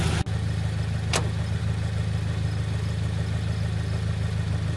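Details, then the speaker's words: Subaru BRZ (same as Scion FR-S/Toyota 86) bought wrecked at Copart, idling: smooth, steady low idle with even beat, no knocks or ticks; no leaks seen, motor sounds good. "I honestly don't see any leaks in the system motor itself sounds good"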